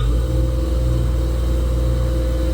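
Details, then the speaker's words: 1977 Wissota S8-B (rebadged Foley) 8-inch disc grinder, 2.2 amp ball-bearing motor, under a vacuum hood causing slight outside vibration: starter heard, click is the centrifugal clutch; smooth steady low hum with slight hood buzz, no grinding; normal running. "This is on a vacuum chamber I've got here, a vacuum hood, so a little bit of vibration from the outside of this, but ball bearing motor. You can hear the starter on it. The click is centrifugal clutch."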